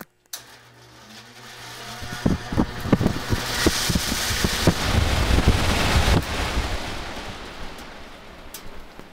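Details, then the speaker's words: Heat pump blower motor mounted on plywood for testing: metallic knocking on startup, about three per second, fading near top speed; the blower wheel has a bad wobble and is loose, knocking as it bounces around. "uh when it first starts up you'll hear a metallic sound it doesn't sound like the motor or anything else now once it gets up to speed it it it starts running on course it's got a real bad wobble in it too so that can create a knock knock when it's bouncing around"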